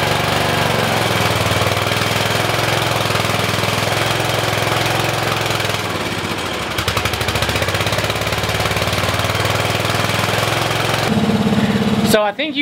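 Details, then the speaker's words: 1973–74 Simplicity 738 riding mower, unused two years, new battery, carburetor main jet corrected and needle adjusted, running outside: small single-cylinder engine chugging at an even idle, no misses or knocks; normal idle. "can hear the motor running in the background I got it running outside just idling"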